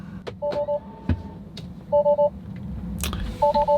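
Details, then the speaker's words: Tesla driving with trunk open: crisp triple warning beep repeating about every one and a half seconds over quiet cabin noise, continuing as the car keeps driving. "well it says the trunk is open but how long does this beeping last we're gonna keep driving and find out"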